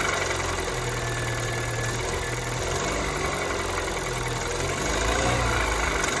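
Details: Kia Ceed 2nd gen 1.6 engine at cold start: light, fairly regular tapping about four times a second over the idle hum; knock when cold, cause unknown.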